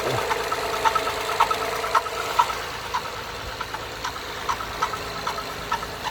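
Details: 2011 Acura TL 3.7 SH-AWD at cold idle: a sharp, irregular tapping about twice a second over a quiet engine hum. The noise began a couple of days ago and the dealership could not determine its source; it fades once warm.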